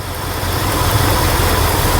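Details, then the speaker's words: 1968 Ford F100, 360ci V8, idling after running a minute: a steady rumble with a faint, sharp snapping tick as a cracked spark plug insulator lets the spark arc from inside the boot. "It's jumping from inside the boot there to the, so it's missing, right? Or I don't know if that's not on good enough or what's going on there. So, but I can hear it from here. It's like a spark sound, I guess."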